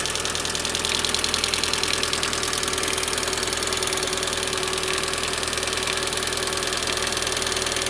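Fast, even light ticking rides high over a steady idle, about three taps a second, the dry clatter of hydraulic lifters not pumping up.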